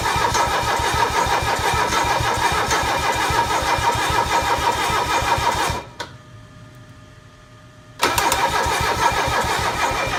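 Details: Mercedes OM617 diesel with newly installed glow plugs. Steady starter cranking at about three compressions a second, a short pause, then more cranking that never catches; diesel cranks but won't start.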